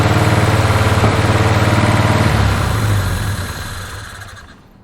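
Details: 1981 Toyota Hilux RN46 4x4 with 18RC engine, rescued non-runner, running off a fuel can: uneven, lumpy idle with occasional backfire pops, then dies; owner guesses timing is still a little out.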